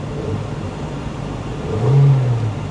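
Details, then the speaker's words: Old high-mileage Hyundai at a salvage auction, only TPMS warning light on: smooth, even engine note rising briefly with a throttle blip and settling back, no knocks or misses; healthy rev. "sounds good and like I said cold air condition does the radio work radio works"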